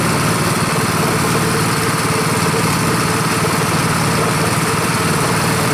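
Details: Rebuilt Honda 5.5 HP single-cylinder engine running outside after rebuild: steady, even low thumping at low idle with no misses or knocks. Idle is lower than the other engine; sounds healthy, normal idle.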